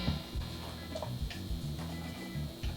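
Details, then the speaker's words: Randall RG80ES guitar amp head: irregular pops and crackles over a low hum as the knobs are turned, from scratchy potentiometers. "okay so this thing has scratchy pots and i'm not too sure how this amplifier works"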